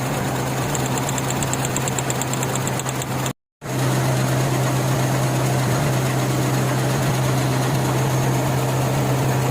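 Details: Suzuki Mehran small petrol engine idling with an uneven, stumbling beat that keeps dropping out, a steady misfire.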